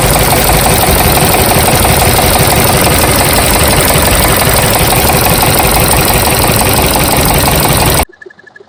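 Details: Toyota Corolla 1ZZ engine with code P0012, camshaft position timing over-retarded bank 1: loud, rough, continuous rattle at idle, fast clatter about three per second, no smoothness; over-retarded cam timing.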